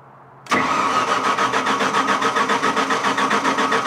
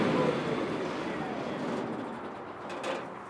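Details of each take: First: Onan generator powering three-phase tools: starter cranks steadily at nearly four pulses a second for six seconds, never catches, then winds down; hard start, cause unclear, later ran giving 210 volts. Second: Onan generator wired to a three-phase panel, measuring about 210 volts across one leg: constant-speed engine drone holding steady with no misses, surging or knocks. Normal running.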